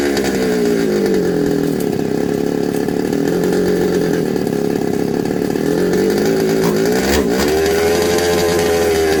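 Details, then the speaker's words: Second-hand 1/5 RC Baja two-stroke after carb and gasket swap, spark good; block next suspected: buzzy note wandering up and down instead of holding steady; runs poorly, won't settle into tune, cause not confirmed. "we change the carb and it's a little bit better um including the gaskets we change the gaskets to the original gaskets of the other one at Brandon okay and it still not running good"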